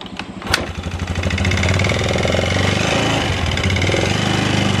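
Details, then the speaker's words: Carbureted Yamaha Xeon 125 scooter that is hard to start, with no smoke and weak power: a rough idle with a quick uneven tek-tek ticking about three per second. The mechanic suspects the piston; the cause is not confirmed. "Nah itu ada suara ceker pedas tapi motornya itu nggak ngebul yo gak ngebul cuman ada suara tek tek tek terus tenaganya agak jeruk bambu ya"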